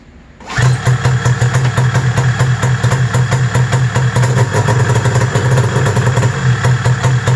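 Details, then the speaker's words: 1995 Arctic Cat ZR700 carbureted snowmobile started with thumb and hand warmers on: choppy, uneven running that keeps stumbling under electrical load; owner suspects a short in the hand and thumb warmer switches. "when i started it the thumb warmer and the hand warmers were on and listen what it does"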